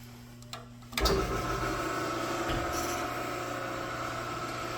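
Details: 1940s Crescent Heavy 20 band saw, restored from rusty condition with new bearings and hardwood guide blocks, blade speed about 130 feet per minute: a switch clicks, then a steady motor hum with a faint even hiss, no knocking or grinding; runs smoothly.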